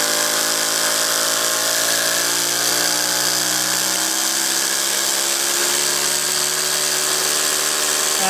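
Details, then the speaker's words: Three-cylinder radial compressed-air engine (7/16" bore and stroke, brass cylinders, aluminium pistons and rods, steel propeller) at pretty fearsome top speed; won't run below about 15–20 psi; high even buzzing whine, no knocks or misses; normal high-speed running. "so this engine typically won't run on anything less than about 15 to 20 psi on the foul for the vibrate off gonna pretty fearsome speed"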